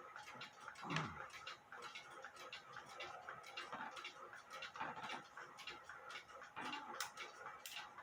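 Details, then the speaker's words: Granddaughter clock movement after correcting a bent verge and crutch foot, on a timing-machine microphone; quiet, fairly even ticks about a second apart with room noise, escapement close to in beat, a few adjustments still pending. "i still have a few adjustments when you have to wait for the b amplifier to uh um slow down and uh when you first start the pendulum off you're going to get extra noise is what i'm trying to get at"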